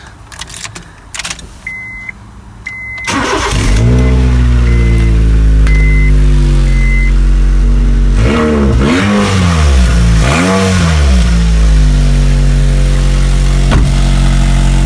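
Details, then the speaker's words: 2004 Honda Jazz starting up: dash chimes, then a loud, deep, blaring rumble that swells with each throttle blip; the exhaust is blowing because the middle section rusted out and the rear silencer fell off its perished rubber hangers. "today we are doing a an exhaust job is a Honda Jazz 2004 and other moments it sounds like it wants to go racing somewhere and let me turn the engine on and you see what I mean"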